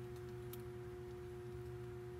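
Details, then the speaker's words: Victron MultiPlus inverter not charging: a steady, low electrical hum at one pitch from the transfer switch behind the unit, not remembered humming before; owner suspects the transfer switch failed. "the transfer switch is back behind there and actually hear it humming"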